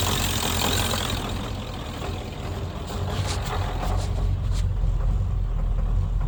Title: 7.3 psd Misfire